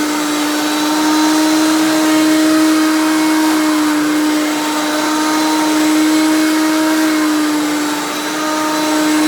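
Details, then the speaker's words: 1994 Hoover PowerMax Supreme U3737-930 vintage upright vacuum switched on: a loud, steady motor tone that holds its pitch with no rattles or surging; it runs smooth but is very loud, normal for these old Hoovers. "you can hear the way it runs it does run very smooth but like I said it's very loud which is the thing with all these old Hoover's"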